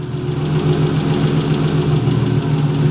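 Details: Manual-transmission car just reassembled after teardown for a gnarly noise when pulling off in gear: idle with steady low drone and faint uneven tapping, about three to four knocks a second; noise returned, cause unconfirmed.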